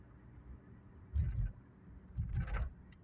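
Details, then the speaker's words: Jaguar X308 V8 (non-XJR) with 227,000 miles, driving; two short bursts of clattering rattle from the back over smooth engine and road rumble; owner suspects seats or trays loosened over time. "maybe you can hear that rattling at the back"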